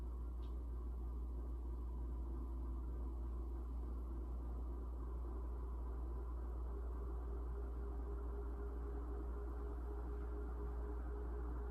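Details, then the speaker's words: 1981 Evergo 36-inch industrial ceiling fan, model 3E-6, heavy cast-iron motor, starting on low with a variable speed control: quiet steady low electrical buzz that fades as it reaches speed; the owner guesses the speed control causes it. "Now when it first starts up, there's a slight buzz from the motor, and I'm guessing that's just caused by the variable speed control, but when the fan gets up to speed, that kind of fades away, so here it is."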